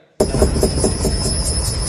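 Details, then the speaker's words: Rhythmic hollow thumping, about five a second, over low rumble with a thin high squeak: a noisy car shock absorber. "这是减震器异响。"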